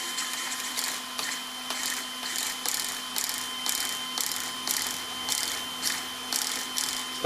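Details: After swapping in an upgraded servo on a ZD Racing Hoonigan Mustang EX07 1/7 RC car, replacing the slow stock steering servo: quick, crisp whirring bursts roughly every 0.6 seconds as steering snaps lock to lock; normal, fast servo operation.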